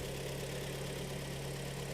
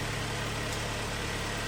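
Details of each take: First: 2013 car at about 140,000 km, cold engine idling in a cold garage: dull rapid tapping knock under the steady hum, piston slap heard on cylinder four, brought in for an engine overhaul. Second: 2013 car, premium trim, about 140,000 km, first start after engine overhaul with boring: smooth, steady idle with even firing and no knocking or tapping; engine sounds healthy.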